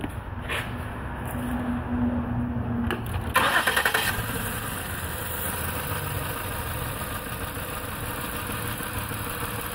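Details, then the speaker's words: 2008 Ford Taurus X with an injector-pulse code on cylinder 1 (rear bank), noid light showing no injection pulse there: engine cranks and catches, then a lumpy, uneven idle with a steady stumble; one cylinder dead. "as you can see we have no injection cultural number 100 number one is in the back one two three four five six"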